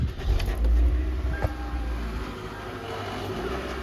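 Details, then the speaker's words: 2015 Toyota Venza: loud low rumble with a loose, uneven rattle from under the rear, easing as it slows; the rear heat shield is loose and touching the spinning rear axle; owner first feared the differential. "now this is a sound that's coming it was very loud before but anyway that's the issue obviously you know"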